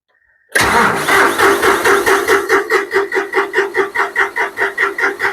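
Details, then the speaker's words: John Deere 5055D diesel tractor after fuel tank sludge cleanout and priming the fuel line of air, battery run down: cranks at roughly two pulses a second, firing beats growing stronger and more even as it nearly catches. "sure seemed like it was primed up almost there almost there"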